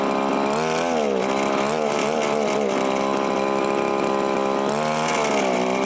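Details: Viper two-stroke ice auger, started on choke: buzzes at high revs but pitch keeps wandering and surging; doesn't seem to pull fuel from the tank, carburetor needs a rebuild kit.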